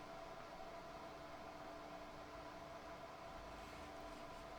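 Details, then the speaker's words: Transistor radio from around 1962–63 after replacing an RF-stage capacitor; a steady, even hiss with a faint whine and no stations on any band, amplifier working, owner suspects a fault in the front end. "So there must be something in the front end that is bad. I can change the band, and this makes no difference."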